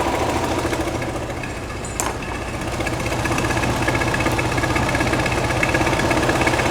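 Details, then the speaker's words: 1969 VW Beetle 1600cc with dual 34 carbs and ratio rockers, freshly installed, after setting the idle and mixture screws: the idle chuffs unevenly with some shake, a lot better than before but still rough; the engine's internals are unknown. "It does have some shake, but like I said, I don't know what's in I don't know what's in the engine."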